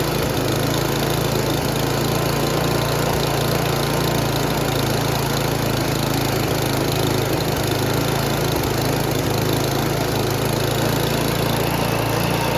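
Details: Noma/Murray Snow King 27" dual-stage snowblower, 9HP Tecumseh, fitted with a replacement HIPA carburetor: an even, unbroken high-speed drone with no misses or surging. The engine runs smoothly; the owner wants to lower the overly high full-throttle speed.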